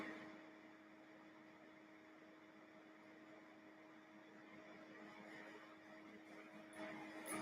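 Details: DJI 3 gimbal under repair/test: faint steady whine with a thin higher overtone over room hiss, never settling as the gimbal fails to center; owner suspects the gimbal may be done; gimbal motor whine.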